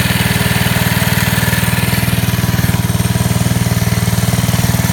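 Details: 1969 Taco minibike, a small single-cylinder engine just started on choke. Loud, even putter with a steady beat and no misses or knocks; idles strong and healthy.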